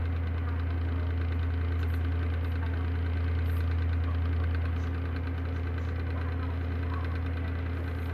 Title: Bad bearings and no more washing oil